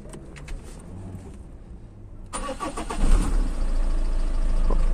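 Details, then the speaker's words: Diesel car previously ticking and unsettled; others said replace the engine, but after cleaning a sensor with cleaner and refitting it, with no pump or other parts changed, it cranks quietly, catches in about two seconds and settles into a steady low idle without ticking. "خطفت سمعكم الموتور، فر الموتور رجع يخدم يدور المراكل، لا بدلت الرومب ولا بدلت شيء"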